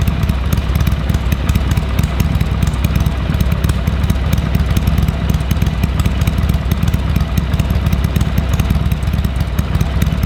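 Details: Harley-Davidson Sportster 883 barn find that sat over 20 years, fresh oil and filter, temporary carburetor fitted: steady loping idle with even, lumpy firing pulses and deep rumble, no misses; normal idle.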